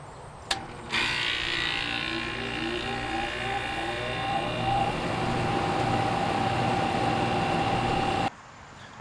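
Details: AC condenser fan after replacing the motor and turning it on at the thermostat: a click, then a steady hum and whir with an even tone as the fan settles; the new condenser fan motor runs smoothly.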